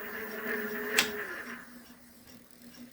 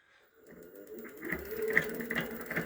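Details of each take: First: Electric bike hub motor that had started knocking under throttle, after full disassembly, repair and reassembly: a single click, then a faint steady hum that slowly winds down, no knocking or rattle; normal running. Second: E-bike hub motor: it spins freely without noise, but under throttle a quick, light, regular ticking knock builds inside the hub. The cause is unknown until disassembly.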